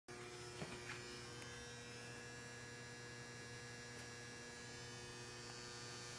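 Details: Constant loud electrical-sounding buzz at a steady, unchanging pitch from a home boiler; the boiler hums continuously, cause not identified.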